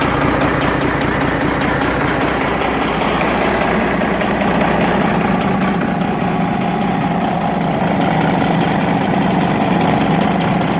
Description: The Injector was adjusted at a lower rate. You can hear the knocking.